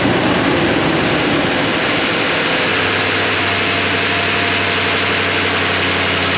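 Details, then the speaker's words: 2007 Toyota Tundra V8 after secondary air injection pumps, valves and air inlet replaced: even, settled idle, not too high, with no misses, ticks or hissing; normal idle. "all right sounds good nothing went bang it's not too high of an idle well it's not too high of an idle"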